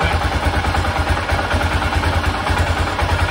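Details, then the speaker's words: 1996 BMW F650 Funduro single after carburettor rebuild: even steady thump held at raised revs, no stumbling or cutting out; previously it cut out at higher revs, now sounds much better. "that sounds much better so i'm going to give that a go now and see what happens"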